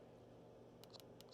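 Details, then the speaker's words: Nintendo DS Lite being repaired, with the fan switched off to listen while testing whether the buttons now work. About five crisp, light clicks in under a second over a faint steady hum: the buttons actuate cleanly and sound normal. "Let's turn off the fan here so I can hear. I want to hear if these buttons work now."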